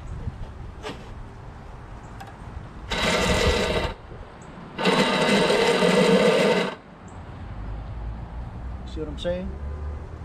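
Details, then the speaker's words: Craftsman lawnmower, Briggs 6.5HP Quantum engine, keystart: two bursts of high free-spinning electric whir with no engine cranking; starter motor spins but its drive gear is stripped and not engaging. "so it appears that this motor spins right but whatever gears the motor spinning to turn this gear isn't is stripped"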